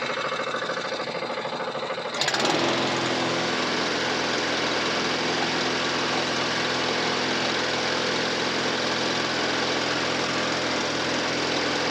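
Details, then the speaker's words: Briggs & Stratton 450E mower after full service (had stood a few years with old fuel, used to cut out after seconds), catches after brief cranking then settles into steady even run, no misses, ticking over sweeter on fresh fuel; healthy. "that's ticking over sweeter than that now i think what it was is i've been stood for a few years it had south fuel in the farm but it's just about through that now"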